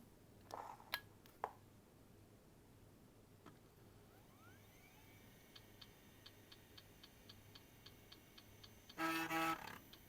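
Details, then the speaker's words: Vintage laptop with 150 MHz Pentium and 32 MB RAM: faint regular clicking of about three per second from the hard disk at power-on, then a beep, and it fails to boot; hard disk clicking. "Mh, il rumore dell'hard disk non è non è molto rincorante."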